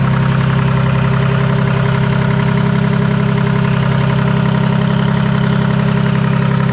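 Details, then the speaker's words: Detroit 3-53 two-stroke diesel after 25 years idle; reversed camshaft corrected, buffer screw being adjusted, open exhaust, warmed to about 100-150 degrees. Deep, even, steady idle beat with no misses or knocks; running smooth. "Okay, we'll fire it back up and adjust the buffer screw. yeah, she's running really nice."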